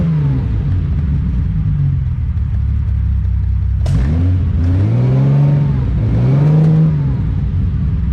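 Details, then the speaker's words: 1972 Ferrari 365GTC/4 just revived after a carburetor fault, ice cold, no choke, stale fuel: slow lumpy idle with occasional pops, then a couple of throttle blips that rise and fall. Expected to pop and spit until warm. "got oil pressure idles very slowly but that's okay it's ice cold no choke let things warm up a little bit it's going to pop and spit like that for a little bit"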